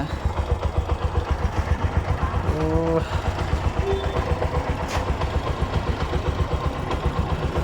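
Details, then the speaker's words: Bajaj auto-rickshaw BS4 single-cylinder engine, rebuilt about 3.5–4 months earlier, after re-fitting to chase a knock: steady even low thump about four beats a second, no knocks or misses, settling into a clean idle. Trial run confirms it's fixed. "Okay ಸರಿ ಹೋಗಿದೆ trial ಎಲ್ಲಾ ಹೊಡೆದೆ"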